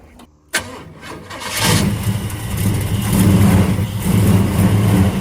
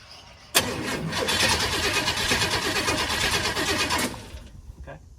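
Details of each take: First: Big-block Chevrolet El Camino, long-sitting, hot-wired with push-button starter, after a splash of fuel into the carburetor: brief crank then catches into a strong even deep rumble, no knocks or misses; normal start. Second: Big-block Chevrolet El Camino, long-sitting, hot-wired with push-button starter after wiring faults: about three and a half seconds of steady rapid cranking with no firing; cranks but won't start, possibly out of fuel as gas gauge doesn't work, not confirmed.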